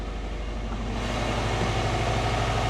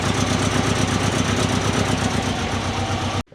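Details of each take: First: Turbo Subaru Forester after ECU update that wouldn't start, cause found to be timing, transient throttle disabled, engine cold: deep steady low thrum firming up with slight waver; normal cold running. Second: Turbo Subaru Forester after new mid pipe, oil cooler and ECU tune change (fuel prime pulse corrected): rough puffing idle with fast irregular chuffing before cutting out; exhaust leaking badly at joints.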